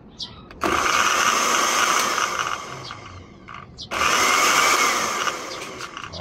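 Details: Blender after repair (no-power fault fixed by cleaning switch contacts and bypassing the switch): motor whirs up in two steady bursts with even high hum, no grinding or rattle; normal blender motor run.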